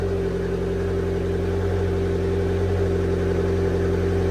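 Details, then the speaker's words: Abarth Fiat 500 petrol engine just after a mini service (oil, oil filter, air filter, flush beforehand), cold start: brief starter squeak, then smooth, even, slightly raised cold fast idle with no knocks, expected to slow down in a few minutes; normal. "but it all starts up fine got oil levels are lovely uh it will start to slow down in a few minutes"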